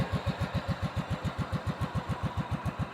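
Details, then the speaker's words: Cub Cadet 2130 garden tractor after fuel pump, carburetor rebuild, choke and brake-switch wiring repairs, cold at about 35°F, half throttle, neutral: steady even putting, deep note, transmission gear/clutch whine, no knocks; normal idle. "sounds great got in neutral right now so forward pedal is completely engaged what you're hearing that wine is the gear system or the clutch system on the transmission"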